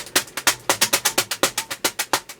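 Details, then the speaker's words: Modern Fan Co. Industry ceiling fan, polished copper, on high reverse: sharp regular wooden knocks about six per second with no hum beneath; blade striking loose plastic packing, balloon sound gone. "oh all the balloon sound went away on high reverse okay we're hitting something"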